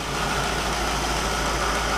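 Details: 1960 Pontiac Catalina 389 V8 idling on a Heathkit IO-20 ignition oscilloscope: even, steady idle with smooth low hum, no misses, stumbles or knocks; ignition spot on, engine running fine.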